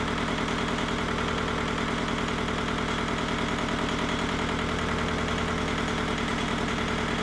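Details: Mitsubishi MT372 diesel tractor: steady even idle, low chug around 200 beats a minute, no knocks or misses; running healthy.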